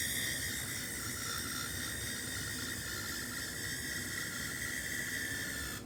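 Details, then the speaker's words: Rare Tao HO-scale model locomotive pulling cars on layout: thin steady high whistle over soft hiss, clatter at end; squealing 'Tweety Bird' sound, cause unclear; owner tries removing weight, doesn't help. "okay so the too engine's gone a bit Tweety Bird so I'm going to try taking some weight off it"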